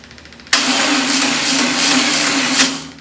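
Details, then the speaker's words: VW Beetle engine run temporarily on an external fuel tank, fuel pump and remote starter switch, with a weak battery even with a booster attached: a steady but slow, rough, uneven starter drone; sluggish cranking. "Ooh, battery might be dead. Might have to put a booster on it."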